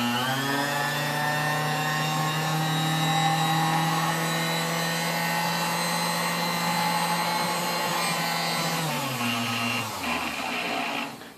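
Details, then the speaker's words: 1935 Sunbeam Mixmaster Model 1 mixer, first power-up before restoration: low strained motor drone that sags as it winds down; runs slowly with heavy drag, no speed increase from setting 6 to 10. "Alright, it runs, although slow. You can hear a lot of drag on the motor, and it doesn't, once you get above 6, there's no increase in speed all the way up to 10, so that's something we'll have to work on."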